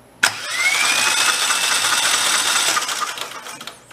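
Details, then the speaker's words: Rebuilt Kohler Command 20 hp engine cranked with the oil pressure switch removed to prime oil and fill the filter: steady starter whir with a faint rising whine, no firing; decent oil flow. "let's go spinner around a little bit and see what happens that's what we get ah it's got to fill up the oil filter too"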